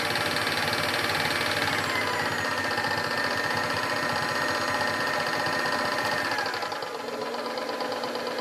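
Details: KitchenAid mixer: motor whirs steadily with a crisp click about four times a second throughout running; owner unsure if normal, cause not identified.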